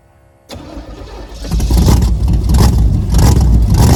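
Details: Built Camaro just swapped to a 305 V8 with a new distributor, first fire-up: quick crank catches cleanly, then a deep, steady V8 rumble settling into an even, healthy idle.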